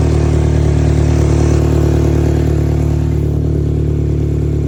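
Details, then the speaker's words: 2013 Mini revving with loud raspy chuffing and clatter after an oil pump seal replacement; owner suspects an exhaust leak from parts not tightened, unconfirmed. "It sounds like I have an exhaust leak."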